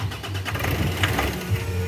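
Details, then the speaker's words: Nissan Pathfinder 4-cylinder electronic diesel with hard or no starting; steady starter cranking, even low churn, no firing. Turbocharger actuator out of adjustment; moving it lets the engine start. Cranks but won't start. "crank it again you see engine is cranking but it's not starting"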